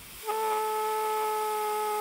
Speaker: if you get it wrong the air flow rate through the gap will be too high and the air bearing will vibrate and hum due to a kind of instability called pneumatic hammer here's a particularly poorly designed bearing with a way oversized orifice and this is what it sounds like